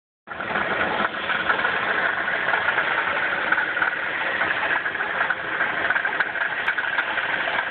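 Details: 1994 Chrysler 3.3 V6 with 77,xxx miles at idle: light fairly steady knock about three per second over the engine; owner thinks at least one rod bearing is bad. Engine knock at idle.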